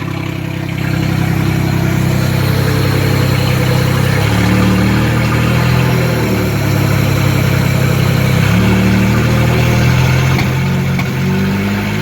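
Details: 1976 Datsun 280z 2+2 pulled from a junkyard and being reassembled, running much better: steady even low idle with a gentle pulse, no misses or stumbles; normal idle.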